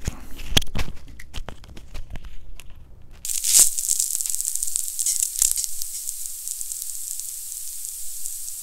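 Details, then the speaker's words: 16-inch 2019 MacBook Pro in a completely silent room: a few soft handling clicks, then a thin, steady, very high-frequency hiss. This is coil whine on a laptop that also crashes on waking from sleep and underperforms. "number two it keeps making this high frequency hissing sound"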